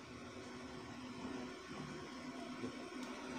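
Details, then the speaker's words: LG WP700N twin-tub washing machine, wash motor running after repairing the fault that tripped the house MCB on power-up. Quiet, steady hum with no buzzing or clicking, turning both directions; wash motor now works normally. "tuh mesin pencucinya hidup ya akhirnya nggak jeglek lagi dia bisa muter ke kanan dan juga bisa muter ke kiri"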